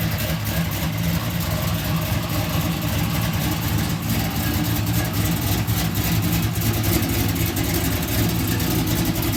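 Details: LS-swapped fuel-injected Oldsmobile Cutlass with cold air intake, restarted after a no-start electrical problem was fixed: deep, even V8 rumble holding steady with no misses, knocks or stumbles.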